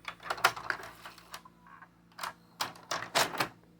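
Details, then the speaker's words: Mitsubishi HS-U445 thrift-store VCR after cleaning, final eject cycle: crisp light clicks and short motor whirs as the cassette unloads and ejects, clean and unhurried; mechanism fully functional. "perfect so I have a fully functional Mitsubishi Hsu 445"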